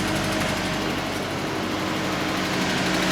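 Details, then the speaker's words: 1994 Nissan pickup after new gas tank and fuel pump install, having shut off from lack of fuel: cranks and runs, a light, quick, even idle with steady pitch and no stumbles or surging; running properly, no leaks. "okay okay all right we're gonna crank it up and see if it'll run there it is running good make sure we ain't got no leaks everything looks good"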